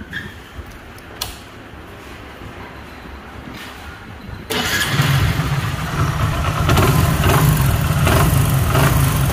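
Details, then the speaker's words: Super Splendor single-cylinder motorcycle starting and running with a heavy hammer-like knock under a deep rumble, low compression after earlier plug work, from worn crank bearings and small-end pin. "But इसके अंदर जो हथौड़े की आवाज आ रही है जो हथौड़ी की आवाज है वह किस चीज की है"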